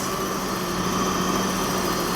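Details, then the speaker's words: 1990 BMW E34 535i with an M30B35 inline-six, rebuilt after catastrophic failure: first start with exhaust and coolant, warming up. Smooth, quiet idle with a steady hum, no knocks, ticks or exhaust leak. "Engine sounds fantastic. So, it's the first time hearing it without open headers. So, we actually can really hear the engine itself. And it sounds beautiful. It's quiet."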